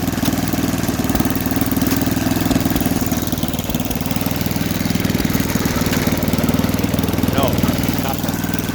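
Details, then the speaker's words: Snapper 8 hp 26-inch snowblower, first run with a mangled pull cord after a suspected governor issue, auger engaged: a steady, even low putter at about four firings a second with no knocks or misses; normal running, fairly healthy. "okay that's fine that's a fairly healthy sound and engine"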